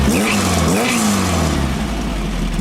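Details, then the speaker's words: 1915cc VW Manx buggy engine after upgrading a 009 to a 034 distributor and setting timing: revs up and settles without stumble, with a faint high chirping squeal from a loose drive belt. "Little squeal though from the belt being loose. I'll make sure he's aware of that."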